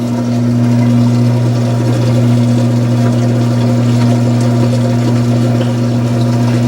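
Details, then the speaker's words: Washing machine: timer audible and a steady low motor hum, but no rising spin or drum rumble; the drum doesn't spin at all. Owner suspects a broken transmission. "No, sounds like the tranny broke. What we'll do. Oh wow, it doesn't even spin."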